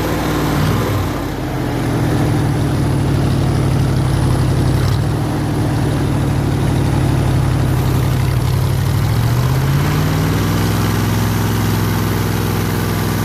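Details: 302 V8 powering an air compressor, after a friend helped swap the troublesome HEI distributor back to the old points distributor and the carburetor was rebuilt: steady, even low rumble at idle with one brief rise in speed near the end, settling back to a clean, healthy idle.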